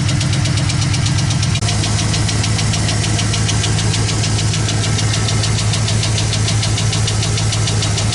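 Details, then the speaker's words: 2015 Chevy Express 4.8L V8 at idle, knock heard on the right side: a fast, sharp ticking knock rides loud and constant over the idle; a collapsed lifter, not the bottom end. "Customer complaint is he hears a knocking noise under the hood when it's running, so let's go see what we got. Sounds like it's coming from this side, maybe by the exhaust."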